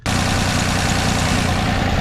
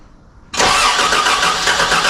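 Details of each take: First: Toyota FJ62 Land Cruiser with replacement petrol inline-six after the original 3FE blew up at 350k miles, just started after the swap and accelerator cable adjustment: smooth, even idle, no misses or hunting. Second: Toyota FJ62 Land Cruiser, first start after a replacement engine swap: it cranks, catches and races to an extremely high idle, suspected to be the accelerator cable; an exhaust leak is also present.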